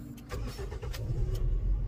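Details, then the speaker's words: Toyota Vios with hard starting and jerking, and an earlier misfiring number 3 ignition coil. Once the fuel pump was reinstalled and holding pressure, it starts on one click instead of a long crank and settles into a steady, even idle. "Ayun, kita natin na one click na siya. Hindi tulad kanina na mahaba yung cranking. Kita natin na madali na talaga siyang paandarin."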